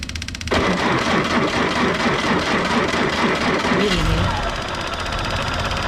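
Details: M718A1 ambulance Jeep, first start after reassembly, with diesel fuel spilled about and no coolant yet: the starter catches within half a second and it settles into a steady, even diesel idle with no knock and no smoke. Normal idle.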